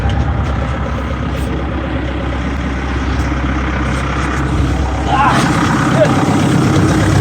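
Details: Volvo EC140 excavator, D4D diesel, after the worn fan belt tensioner was replaced, the serpentine belt refitted and the AC belt tightened. A steady low diesel idle with an even beat and no squeal or chirp. The engine sounds healthy.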